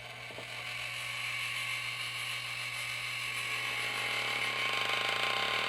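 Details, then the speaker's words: RainSoft EC4 water softener control head, motor turning through the regeneration cycles while the unit is depressurised: a steady motor hum with dry, rhythmic creaking and cracking that signals service is due, from a worn piston, bad seal or obstruction. "and when you hear it creaking and cracking like that it's definitely time to be serviced usually it's uh it means that the piston is either in bad condition you have a bad seal or there's some kind of obstruction"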